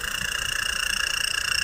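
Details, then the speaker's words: Bearing-converted electric fan: a fast, even scraping rub about twenty times a second over a hissy whir as the rotor rubs inside from a loose bearing and shaft play. "loose bearing po yan tsaka po yung shtick Yan po ang problema niyan gumagalaw po ang bearing"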